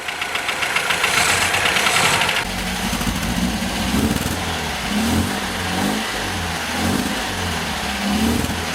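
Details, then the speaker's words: 1977 MGB on first run after years off the road, about 60 psi oil pressure, distributor drive temporarily wrong; uneven lumpy running with light rattle from tappets needing adjustment and massively over-advanced timing. "she's tapity rattle we can adjust the tappets and she's running roughly because the timing isn't as it should be of it's massively Advanced"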